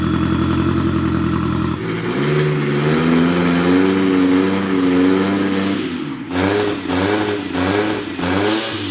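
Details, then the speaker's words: Mazda Miata drift car, new twin-charge turbo plus supercharger with 640cc injectors, first start before tuning: fires and idles unevenly, revs surge and hunt with a loud blower whine; rough running, still needs tuning and a bigger fuel pump. "it sounds crazy it's pretty insane yeah it doesn't run all that great yet so we got a lot of tuning work to do"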